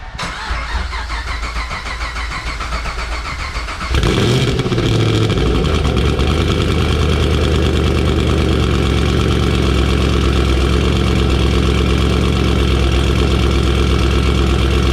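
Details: 2012 Camaro ZL1 after a BTR cam package and 9.45 lower pulley install, first start after cranking with the injector fuses pulled. Thin cranking for four seconds, then it catches and settles into a steady, deep idle with a slight lope. Normal start and idle.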